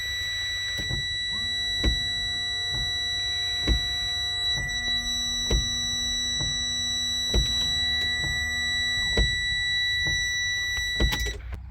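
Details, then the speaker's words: Truck washer system, key on with engine off: steady electric buzz of washer motor under regular wiper clack, but no fluid reaches windshield though there is fluid in the reservoir; motor works, cause of no flow not yet found. "The wipers came on and you could hear the motor running, but no fluid came out of onto the windshield. So the motor's not bad, the motor's working, and there's fluid in the reservoir."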